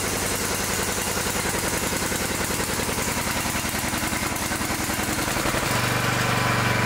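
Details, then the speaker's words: Newer riding mower single-cylinder engine with electric throttle, after a fouled plug and a plugged air filter that made it run as if choked: steady even chug, smooth idle, no misses. "So, I put it all back together. I'm going to start it again, and you can give it a listen."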